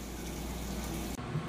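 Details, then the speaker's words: Whirlpool Ultra Care II top-load washer on Super Plus setting: quiet, steady rush of water filling the tub with even flow and no buzzing or hammering; fills normally before agitating. "Alright, so we've filled up and it's agitating nice and strong."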